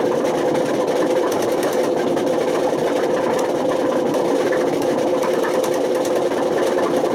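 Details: Washing machine run on with bad drum bearings: loud, steady mechanical roar with a grinding edge and droning hum; wear so severe it damaged the spider and motor, with smoke, sparks and fire risk.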